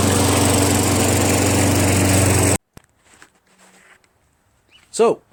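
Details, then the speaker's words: Craftsman 21-inch self-propelled mower, 6.5 HP Tecumseh single-cylinder, after carburetor cleaned of gum and reassembled: fast, even beat for a couple of seconds before shutting off; now starts and runs, healthy. "that it starts and runs this price just went up from $25 to 50"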